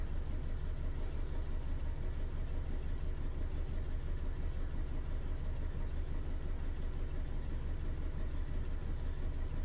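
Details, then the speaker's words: 2011 Ford Ka 1.2, P0203 cleared, injector measurements showed a fault: low, uneven, lumpy idle thrum. Still misfiring; a plug lead not seated on the spark plug was found afterward. "so either that fault code was a false fault code but the injector measurements showed a problem with it or we have more than one issue"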